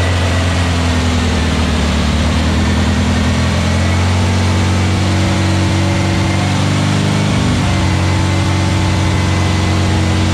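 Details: Fresh VW Beetle 1679cc single-port engine with Scat C25 cam and dual Empi ITC carbs, during its first fire-up and cam break-in. It idles evenly and steadily with a deep regular beat and no knocks, ticks or misses. Normal idle; the carbs still need tuning.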